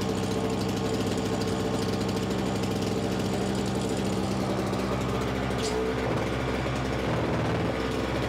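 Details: Simplicity 520 single-stage snowblower (5 hp, 20 in), second start on choke: engine hums steadily, then sags and roughens once the auger drive takes load, which it should not do; owner suspects the carburetor.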